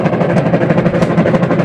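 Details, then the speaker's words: Washing machine agitating with the pulsator still fitted: a loud, pulsing churn of growls about every tenth of a second. It runs and reverses but is very noisy, and the timer stops intermittently; a noisy gearbox. "Ito, umaandar, nagre-reverse. Kaso, ay napakaingay."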